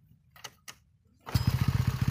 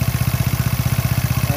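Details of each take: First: Small motorcycle after fitting used LPG-cylinder rubber seal at the crankshaft pulley to cure a ticking rattle when revved: fires up and holds a steady even beat, revs cleanly, rattle gone. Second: Motorcycle engine with a rough, clattery idle of about ten pulses a second and a rattle riding each beat, from a worn rubber damper in the crankshaft pulley.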